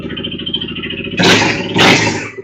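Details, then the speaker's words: 2015 Honda CBR300F single with compression and spark already checked, during fuel pressure testing with a custom gauge: idles evenly, two throttle blips, then fades unevenly and stalls after starting; a ticking is noted, cause unclear. "It just shut off. Ah, interesting. So, that's what she was complaining about. Ah, it's running good and then it just shuts right off."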